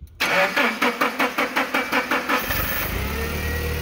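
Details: Nissan forklift with code E27/P0335 crank sensor circuit, cam and crank sensors previously replaced, intermittent start: starter churns about five even beats a second for over two seconds before catching; extended crank from faulty crankshaft position sensor signal.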